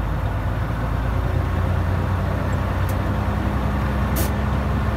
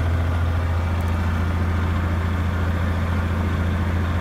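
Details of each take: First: Truck air brake system that froze up, air still clogged, idling around 1000 rpm and only reaching 70 psi: short sharp hissing spurts every second or two as air blows off the compressor relief valve. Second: Big truck on a 20°F winter morning after pouring a bottle into the frozen compressor air hose: deep steady diesel drone, revved fairly hard, no longer spitting, air building faster; normal compressor operation.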